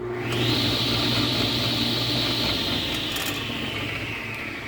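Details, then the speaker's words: Craftsman table saw after bearings replaced and wrong washers corrected (blade previously rubbed edge): spins up to smooth quiet even hum, no bearing growl or rumble: normal running. "almost no sound at all funny thing was is if you look that saw fits perfectly right well before it didn't and it was really close to this edge and every once in a while it would rub"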